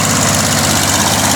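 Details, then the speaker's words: Refurbished Wolf PM-Quantum 35 mower, small single-cylinder fitted with a Toro muffler, nicer sound than before: steady, even idle with a soft exhaust note, no misses or knocks; normal idle. "Avec le pot de la Toro, il a vraiment un beau petit bruit,"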